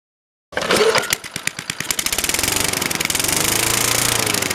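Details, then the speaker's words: Craftsman 21-inch lawn mower, 4–6 hp Tecumseh engine, unstarted for 12 years and stored outside: catches after a couple of pulls, stumbles briefly, then settles into a quick, even popping beat, exhaust spitting probable rust; normal running. "Oh, it wants to. Kicking out stuff out of the exhaust. Probably rust."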